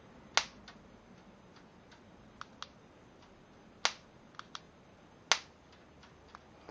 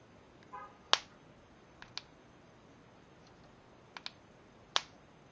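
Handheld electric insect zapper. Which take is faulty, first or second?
second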